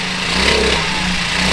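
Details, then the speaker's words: 1978 Honda Z50 with new 88cc big bore kit, first run after rebuild, burning a little assembly oil off the cylinder top: crisp, steady buzzing single with even beat, no knocking or rattle; normal healthy running. "Definitely burning a little bit of assembly oil off the top of the cylinder, but that's all right. Heck, she sounds good."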